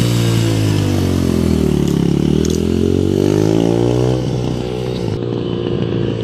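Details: 2005 Yamaha 125cc dirt bike after fuel valve leak repair, yard test; idle piece broken, awaiting part: single cylinder revs smoothly through varying rpm, no knocks or misfires; sounds great.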